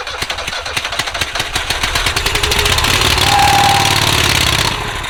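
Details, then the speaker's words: Rusty auction John Deere riding mower, rodent damage, seized choke, gas poured in carb: ragged popping about four per second, briefly sputtering, then fading, won't idle; owner suspects carb needs cleaning or fuel pump not delivering. "a little bit of life all right looks like it started to pump some fuel in there the uh you can see a little fuel on the filter we'll give it one more go and see if it will idle i might have to clean that carb though"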